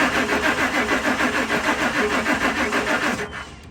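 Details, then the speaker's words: 2000 Ford Excursion: starter cranks evenly, about three turns a second for three seconds, but the engine never catches; crank, no start. Spark confirmed present; fuel supply being checked next. "this one is just crank they say just crank no star you hear that"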